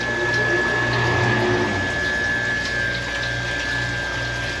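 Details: Manitowoc ice machine: steady pump hum with water rushing evenly over the evaporator grid, flow strong, may need throttling; no surging or rattle, normal operation.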